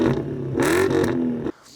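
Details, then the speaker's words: BMW E31 840Ci, original cats and resonator but rear silencer (back box) deleted: quick rev with deep raspy note louder than stock. "the rest of the exhaust is original that means original cats resonated still there but the backbox has been deleted so it's bit louder"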